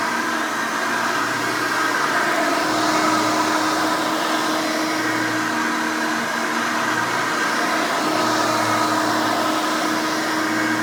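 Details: Hoover Elite 600 upright vacuum, model U4473, from 1989, 120 V 60 Hz 6-amp motor, switched on: a loud, steady, high-pitched scream over an even drone that never wavers or surges, a healthy vacuum motor running normally.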